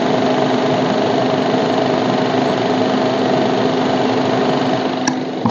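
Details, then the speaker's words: Maruti Baleno RS Boosterjet petrol engine idling with a steady droning tone and busy rattle from the engine side, caused by a common vacuum hose that slips off its fitting, a vacuum leak. "ये pipe basically एक common होता है, ये वाला pipe ये vacuum का होता है, ठीक है। बेसिकली यही निकल जाता है हमारे पाइप, इससे वैक्यूम से ये पाइप निकल जाता है ये होट से, देन ये साउंड आती रहती है।"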